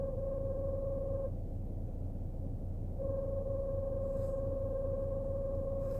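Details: BMW Z4 E89 while driving: steady mid-pitched hum with faint higher overtone cutting in and out over low road rumble, from the rear; cause unidentified.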